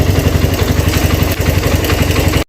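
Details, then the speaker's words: Suzuki Thunder 125 single-cylinder after electrical repair, engine not opened or repaired: idle thumping evenly but with a slightly uneven, clattery beat; a touch rough, put down to the unrepaired engine. "Ini suaranya mesinnya agak kasar sedikit ya, karena kita tidak bongkar mesin ya, tidak memperbaiki mesin."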